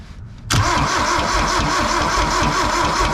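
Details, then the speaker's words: 1972 Toyota Celica 18R-C engine, restarted after 26 years, valve cover off: quick, even slapping tick over idle from the top end; the valvetrain slaps as it crosses the cam lobes, with another unidentified noise up front. "They're all making a little slapping noise when they go across the lobe."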